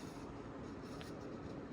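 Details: 1992 Sears Roebuck 42-inch Hugger ceiling fan, model 689 11438, on high speed drawing 0.41 amps; low rumbling drone with gritty rolling roughness and faint hum; worn fan bearings.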